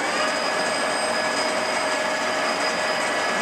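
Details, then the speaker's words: TOS B40 16x41 toolroom lathe headstock at 2000 RPM, its top speed: an even, steady high-speed spin with a constant high whine and smooth hiss, no knocks or grinding. This is normal spindle running. "What's the RPM? 250 RPM. It's 2,000 RPM. 2,000 RPM, big guns."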